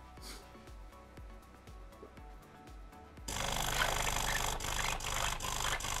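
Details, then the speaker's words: DeLonghi PrimaDonna Elite Experience espresso machine after repair, at start-up with heating on: even pump pulsing, then a rush of water with a light squeak as it fills the brew unit (infuser); normal. "can immediately hear that water is flowing into the infusor, because it is specific, such squeaking sounds."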